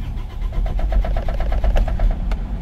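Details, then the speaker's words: Isuzu Travis 4JA1 diesel with check engine light, code P0336, no tachometer reading: steady starter cranking with even chugging pulses for nearly three seconds, slow to start; crankshaft position sensor failure causing hard starting. "y start naman siya pero ang tagal yon yan mga guys"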